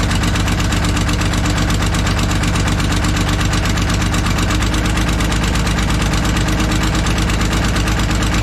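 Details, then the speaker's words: Kobelco SK250 excavator, believed 2006, diesel, before repair: loud rapid ticking puff, nearly three beats a second, over rough idle, no boost; cracked exhaust manifold leaking, manifold to be changed out with new gaskets. "so yeah as you guys can see and here it ain't good let's get that manifold changed out"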